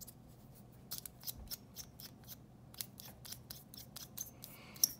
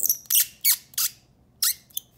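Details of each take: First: Squeaky mechanical pencil after graphite lubrication of its threads: dry thread ticking with only a faint brief squeak left, from the parts not yet coated. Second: Five sharp, high squeaks in about two seconds as the metal threads of a hexamatic mechanical pencil twist against each other when unscrewed, metal-on-metal friction; pushing up or down changes it.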